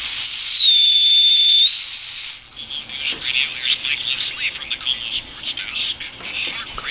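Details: Armstrong regenerative receiver with regeneration turned up: loud gliding whistle swoops down and holds into crackly static as the set breaks into oscillation and squeals, voltage and regeneration balance off.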